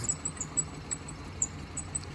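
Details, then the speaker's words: £380 used car, no fault codes, misfire only at idle and smooth at higher revs, auxiliary belt squealing: uneven lumpy idle with light irregular ticking, misfire from a low-compression cylinder. "it does have a misfire I do believe it's not sh any cords for said misfire oh like a saw machine do ignore the auxiliary Bel squeaking away yeah she's got a Mis fire Runner uh only seems to be on idle which is quite strange"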